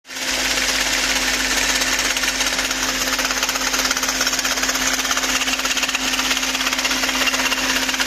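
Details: VW Phaeton V8 at idle: fast, even, sharp metallic clatter over a steady idle, a top-end rattle. Owner suspects the camshaft adjuster; cause not confirmed.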